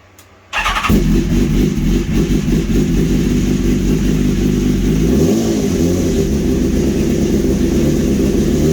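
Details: 2015 BMW S1000RR after engine swap, second start after topping up fluids: engine catches after a short crank, settles into a steady, even idle with clean rev blips; healthy.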